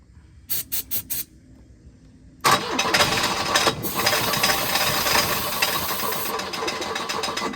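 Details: Volvo 242 recovered from the woods, on starting fluid with timing possibly too advanced or 180° out: a few clicks, then it fires and runs rough with a high squeal and rattling clatter from a loose crank pulley.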